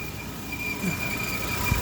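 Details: 2013 Volvo XC60: steady high-pitched whine from the engine compartment, loudest under the engine, starting only after about 15 minutes of warm-up; not a typical loose-belt noise, source unknown.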